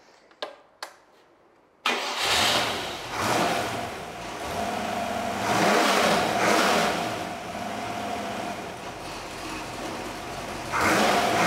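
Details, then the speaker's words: RPi-built 4.6 V8 for a Range Rover Classic, stage 1 heads, Piper 270 cam, Edelbrock carb, RPi ignition, first bench run: clean start, throaty idle, crisp blips settling back; runs well apart from light exhaust rattle. "sounds good other than the exhaust rattle going out the door i reckon yes ship it out to the customer"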